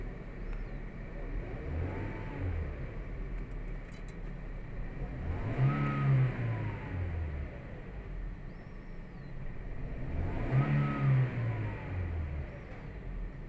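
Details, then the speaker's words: 2017 Toyota Vios 1NR engine revving: uneven climb with jerky hesitation, also felt as jerking in first gear; scanner shows misfire counts on cylinder 3, traced to a failed ignition coil. "Toyota bios 1nr ang makina may konting palya tapos sa primera merong kadyot kumakadyot"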